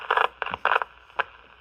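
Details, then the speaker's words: Cobra 29 LTD CB radio that is one channel off frequency and intermittently fails to receive: bursts of harsh crackle and static cutting in and out instead of voices. Cause is a cold solder joint. "now it's really kind of acting up now I'm not hearing just static instead of anybody talking so"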